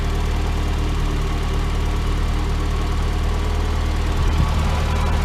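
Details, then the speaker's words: Rocket Bunny Miata after new NGK spark plugs and wires replaced a rough-running idle: steady even low petrol idle, much smoother and firing up better, with a new faint irregular tick audible. "Weird ticking now. But the idle's so much better. It fired up way better."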